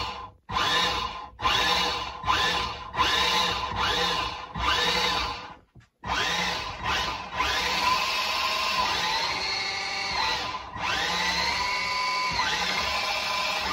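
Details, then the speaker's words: 40A dual-motor AliExpress ESC in combat robot, both motors connected, transmitter off; repeated clean high whine bursts rising and falling with throttle, no grinding or stutter; ESC barely warm, working normally. "also I just want to show off the noise if I just turn off the transmitter and have a listen to the noise it makes the motors go anyway"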